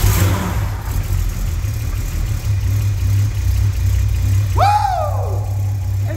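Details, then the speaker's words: VW Mk3 VR6 neglected and unstarted for at least four years, first start after sitting (fuel pump or relay was suspected): steady, low, even idle with no knocks or misses while warming up; normal idle. "it's even running very nice let it boil up a little"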